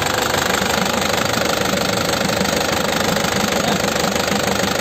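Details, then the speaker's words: 2009 Isuzu Panther LS Turbo diesel, manual, engine described as sound: even, steady idle clatter with a regular beat, no irregular knocks or misses; no smoke from the oil filler; healthy, crisp-sounding idle. "Ini mesinnya suaranya renyah ya. Kondisi mesinnya seperti ini."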